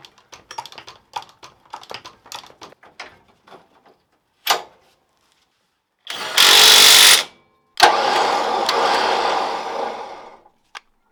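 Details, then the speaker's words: Winch refitted on a V8 Land Rover Discovery 1: a few clicks, then two strong, steady bursts of electric motor whirring as it pulls in; winch working again, normal winch operation. "right oh so obviously winch is now working again um which is good to see"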